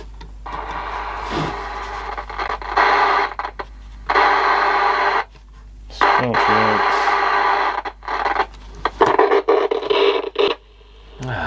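Loud bursts of rushing static cutting in and out with no clear signal; noisy reception on the set, cause not yet pinned down. Cause suspected, not confirmed.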